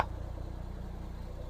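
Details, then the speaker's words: 2003 Foden Alpha truck with Cummins diesel, started after an engine wash: low even clatter with quick steady pulses, no misses or knocks; starts with no problem, normal diesel idle. "Right, I'm going to start her up and make sure she still starts. And you can hear her in all of her glory and see her. Oh, she starts all right."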